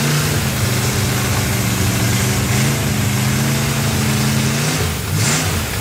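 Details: Freshly built 283 V8 on its first run, with a vacuum port left unplugged: the engine hunts and wavers instead of holding a steady idle. It improved with a hand over the carburetor while the owner richened the mixture. Large vacuum leak.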